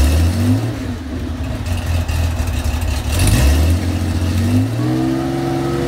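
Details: Cold start of a 35-year-old Porsche 911 SC wide-body 3.3 flat-six with M&K exhaust headers and PMO carbs. It revs unevenly with a lumpy rumble and pops, backfiring and smelling rich while cold. The cause is unconfirmed; the owner says it runs smoothly once warm.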